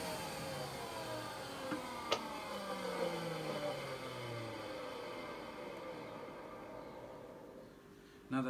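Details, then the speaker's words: Numatic NV250 vacuum motor: steady whine with a gritty rough edge winding down in pitch, otherwise fairly quiet; owner suspects dry motor bearings. "I know it sounds rough but that to me sounds like the motor bearings are dry but apart from that is relatively quiet"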